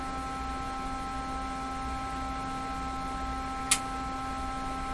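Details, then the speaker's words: 1957 Chevy Model 561 car radio during initial alignment, on the bench with different output tubes: a steady whine of several fixed tones with one brief click. Power-supply whine comes through the speaker, as heard on another radio. "see if that wine sound comes back that i encountered with the other radio"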